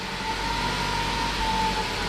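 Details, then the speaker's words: 2011–2017 MK3 Ford Focus at first start after a Duratec engine replacement, with coolant filled and battery reconnected: it fires right up into a smooth, even idle with a steady hum and no misses, knocks or ticks. Normal healthy idle. "Listen to that. Man, she purrs. She fired right up. That's awesome."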